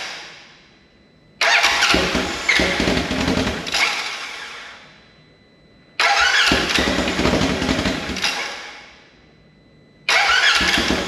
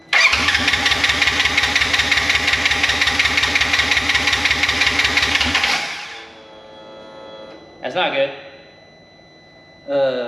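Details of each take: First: Rebuilt wrecked 2016 Polaris RZR 900 S on new frame with swapped transmission cases: loud open-pipe bark, revved three times and easing back, pulling cleanly; engine running normally after it finally started. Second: Wrecked 2016 Polaris RZR 900 S, brake pressure switch bypassed, air in fuel line: steady cranking about three turns a second for six seconds, never catches; no spark.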